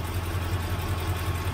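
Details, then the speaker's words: 1977 Chevrolet Malibu Classic, factory 350 V8 at idle: sharp regular puffing tick about five per second over the rumble; exhaust leak near the manifold, possibly cracked manifold, blown doughnut gasket or faulty valve, unconfirmed. "uh yeah definitely got exhaust leak down there"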